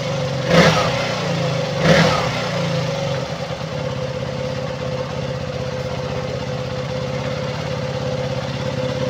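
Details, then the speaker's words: KTM Duke 200 single at steady idle after replacing a leaking fuel pump hose; two quick throttle blips, then even idle that holds without stalling or hunting, where before it died within 3–5 seconds and lost power when ridden. "so Ayan na po umandar na po siya normal na po yung kanyang andar kanina na parang namamatay siya hindi siya nagtatagal around 3 to 5 seconds namamatay siya kaagad"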